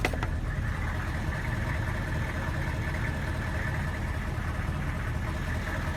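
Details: Van with diesel engine: rough, uneven idle with a stumbling low rumble, a misfire caused by a Kojo aftermarket ECU tune; runs worse when hot, barely does 45 mph; a stock junkyard computer made it run normally again.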